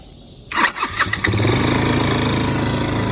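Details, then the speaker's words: Chinese ATV after carburetor float area cleaned and reassembled: catches after a few cranks, then loud steady drone staying high instead of dropping to idle, engine taking off; carburetor adjustment or throttle cable suspected, not confirmed. "Okay, that's pretty sketchy doing one-handed. So I need to adjust the carburetor or check the throttle cable or something. She was taking off."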